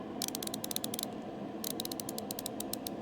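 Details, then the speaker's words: New Tang ratchet: two runs of about a dozen quick, crisp, evenly spaced clicks each, clean and consistent; the pawl is working properly. "It's a good click. I like them thus far, dude. ratchet's nice."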